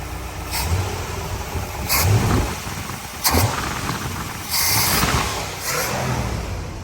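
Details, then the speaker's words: 1964 Chevy Corvette C2 327 small-block after new Edelbrock carburetor and homemade intake gasket fixing vacuum leak, hard-start cured: starts instantly, crisp throttle blips rising and falling cleanly, no stumble or hiss; normal running. "You know, we got a new carburetor. Starts instantly now. It's fired up."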